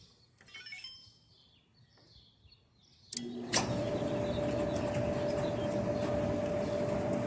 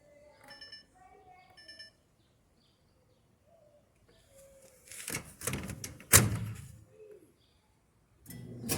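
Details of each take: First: Kenmore Elite gas dryer after repair, previously squealing when loaded with clothes: drum settles into even rumble with faint steady hum and no squeal; a drum roller had been out of place and was fixed. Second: Kenmore Elite gas dryer making an ugly noise when loaded with clothes; on start it gives a rough scraping rumble and sharp creak from the rear of the drum, suspected worn drum support rollers.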